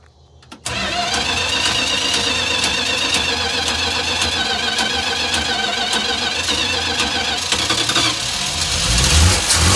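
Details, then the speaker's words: 1974 Dodge B300 Minnie Winnie with a 360 V8 and four-barrel carburettor, first drive after 27 years. Engine catches, then runs lumpy and uneven with a raspy edge and never settles. Rough running; owner suspects fuel is flooding the motor, unconfirmed. "This thing is like super flooding. I don't know if the what's going on with the fuel, but it's super flooding the motor."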